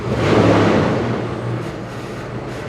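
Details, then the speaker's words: 1998 Jeep Grand Cherokee during fuel tank replacement work, still warming up at about 205 with possibly low, leaking coolant: the engine swells briefly, then hums evenly with no knocks or rattles. Running cleanly. "so it'll be interesting to see how much of a difference it makes once i get it to operating temperature but this sounds really good"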